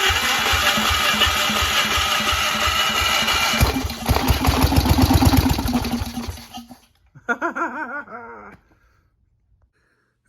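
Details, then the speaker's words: Onan engine on a Gravely with a homemade Chevy LS2 coil ignition, after carb cleaner sprayed in: catches and runs with a rough, quick putter for about six seconds, then dies as the sprayed fuel burns off. "now we're gonna try something really dumb which is squirting some carb cleaner in there let's see what happens now oh yeah baby it's gonna run"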